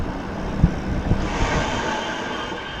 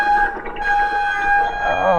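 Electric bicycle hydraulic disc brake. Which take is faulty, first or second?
second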